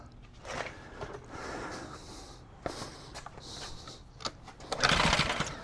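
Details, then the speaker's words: Craftsman 2800 PSI pressure washer, Briggs & Stratton 163cc, after starter fluid: irregular rasping pull-start cranks never catching; on/off switch may have been left off; carburetor may still need rebuild; no start. "Just noticed on this particular unit that's not a momentary switch like usual. It's got an actual onoff switch. So, I may had it off."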